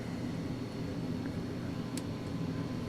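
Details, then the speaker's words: 1948 Philco 48-1274 radio under restoration, FM and phono working; on the AM broadcast band there is a faint steady hiss with a low hum as the volume rises, no station received, cause not yet found. "hum and noise like it wants to get a signal when you turn up the volume, but it's just not happening, and I haven't figured that out yet."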